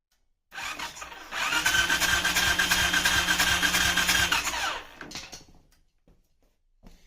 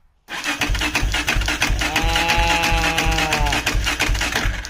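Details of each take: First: Suzuki LTZ400 ATV with OEM CDI swapped in: steady starter churn at about three compression pulses a second with no firing; still no start, a bypassed key switch also found. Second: Suzuki LTZ400 ATV after a new OEM stator fitted: even starter cranking at about three beats a second with a steady whine, turning over freely but not firing yet.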